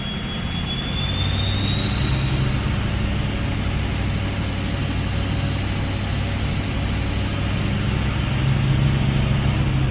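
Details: Ford 6.0 Powerstroke diesel with a bigger stage 1.5 63.5 mm turbo replacing stock: under a low rumble, a clear high whistle climbs, then holds steady as it revs. A loud but healthy aftermarket turbo spooling.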